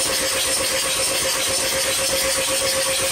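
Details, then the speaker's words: 2003 VW B5 TDI diesel hydrolocked after a deep puddle; cranking with glow plugs removed, steady starter whirr about two turns a second, no compression pulses or firing. "so I took the glow plugs out and I gave it a bit of a crank and I already saw some water coming out so I'm gonna crank it a little bit more"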